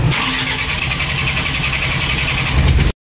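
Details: Mitsubishi Canter 4M50 diesel that won't start: it cranks steadily for a long time without catching, a hard start caused by injectors leaking back too much fuel.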